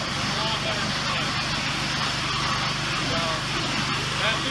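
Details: Generac pressure washer model 014 39-0 after fixing stuck unloader that caused constant bypass: steady small-engine drone under loud, even spray hiss, now holding high pressure.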